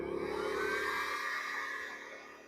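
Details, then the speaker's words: WEN 2000W inverter generator, warmed up in economy mode after draining old gas and cleaning the clogged carburetor: a steady mid-pitched whir that holds speed without bogging when a load is switched on, then eases off. Running properly. "Yeah, it didn't seem to bog down much at all when I turned that on."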